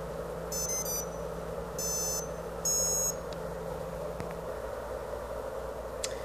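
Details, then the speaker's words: Multirotor ESC running BLHeli 13.2 powering up: quick bursts of high musical beeps, three at power-up and then two confirming the motor is armed, a normal startup. "you hear the first three beeps and then the second two say that the motor is armed and you can see the signal appear almost immediately"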